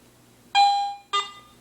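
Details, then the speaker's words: AT Pro metal detector, indoors over a floor with metal, after cleaning the coil and headphone connectors to cure erratic "freaking out". Two clean tones, mid then higher, a half second apart as the coil swings: normal target response. "so see I mean the screen the readings are reading fine it's you know I mean it's still picking up metal and it's not freaking out about it"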